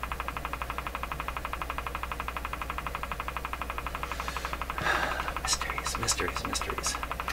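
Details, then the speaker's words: General Electric KL-70 AM/SW radio, broadcast band not working: quick ticking that changes pace over low steady speaker hum; source unclear, motorboating-like oscillation suspected; wrongly installed capacitors suspected. "listen to the ticking it's slow down what what is it what is it but that's the strangest thing this is not just that it's noise it's that this ticking changes pace"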